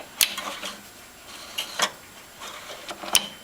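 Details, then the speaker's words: 1952 Navy ESPEY R-366 receiver: sharp, irregular light clicks about once a second as the band knob turns the turret; a micro switch mutes the receiver during band changes and clicks as the turret locks in. Normal operation. "now you hear that clicking sound that is a micro switch and that micro switch mutes the receiver while you're changing bands so once you get to the uh the band position it locks the turet in and you can hear that click"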